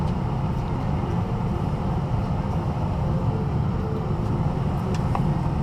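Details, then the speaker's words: 2000 Ford F-250 after heater blower motor replacement; fan on, even steady whoosh and low hum with no ticking, squeal or wobble, lots of airflow, heat and A/C working; normal blower fan operation. "sounds good getting a lot of air blowing through much better now I have heat air conditioning ventilation everything is working the way it should be"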